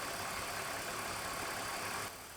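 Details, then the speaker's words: 2001 BMW E46 AC recharge after replacing compressor, condenser, drier and expansion valve, vacuum held leak-free, engine idling: steady loud hiss of refrigerant flowing from the can into the system, easing near the end; taking charge normally. "you can hear it coming out of here and going in there."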